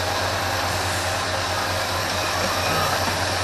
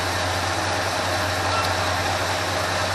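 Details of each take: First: 1980 Ford F350 after a carburetor rebuild, idle mixture screws being adjusted: steady low idle with a rough, slightly uneven beat; the right-side screw is turned in too far (too lean), so it must be backed out. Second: 1980 Ford F350 after a carburetor rebuild and idle mixture adjustment: steady, even idle with no misses or stumbles, guessed at around 650–750 rpm without a tachometer, right where it should be.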